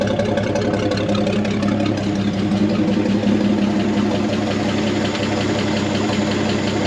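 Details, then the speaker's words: 1963 Chevy C30 inline six, off the road since 1978, just started for the first time in about 47 years and popped right off: steady, even low idle with no knocks or misses, settling in smoothly. "And with that intake loaded up, this thing literally popped off like it was running yesterday."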